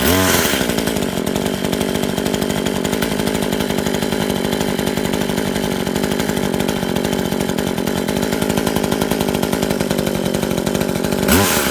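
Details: Brand-new Tanaka 14" top-handle chainsaw on its first run, fuelled with 89 gas mixed with two-stroke oil. A high, steady scream holds under load with a crisp, even beat and a clean pull-down at the end; healthy saw.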